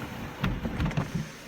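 A brief low electric whirr with a few soft clunks as the panel travels, smooth and unhurried; the sunroof motor works normally.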